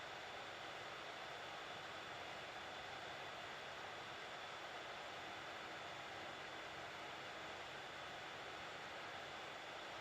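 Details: Hot air rework station at about 400, medium airflow, heating the WiFi chip of a Nintendo Switch stuck at the boot logo: steady airy hiss with a faint constant tone, no wavering or rattle. Normal running.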